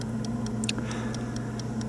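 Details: 1950 Buick Roadmaster New Haven clock after cleaning and oiling, wound and on battery: crisp, even ticks about four or five per second over a faint low hum; running steadily and healthy.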